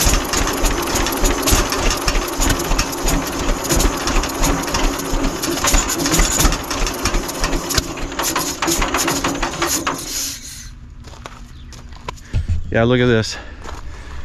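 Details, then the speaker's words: 1946 John Deere BN auction tractor, non-running: ragged uneven firing with loose rattles for about ten seconds on starting fluid, then dies; carburetor very wet with fuel and pouring gas, carburetor fault suspected. "it's awfully wet in there with fuel, so there's a good possibility that something's wrong with the carburetor and it's not working right. I don't know at this point, but I'm gonna hit it with some starting fluid."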